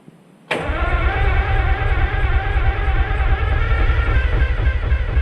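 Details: American 25 excavator diesel on two Group 31 batteries, sprayed with starting fluid: silence, then it abruptly catches into a rough, heavy low rumble on starting fluid only. Oil pressure rose, but fuel isn't reaching the engine, so it won't run on diesel.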